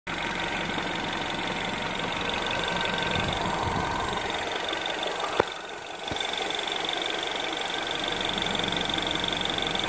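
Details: Mini R56 engine at idle after timing chain replacement: light, fast, uneven rattling ticks, roughly three per second; timing chain rattle still present.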